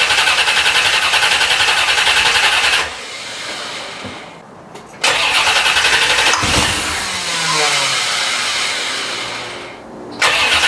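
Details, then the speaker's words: 1990 C4 Corvette rebuilt after a blown head gasket, radiator not yet fitted, about 4 gallons of premium just added: three long bursts of the starter whirring at a steady beat, and the engine never catches. It only tries to start on starting fluid; the fuel pump is not running. "it should start uh but it's just turning over and when i spray it with starting fluid it tries to start"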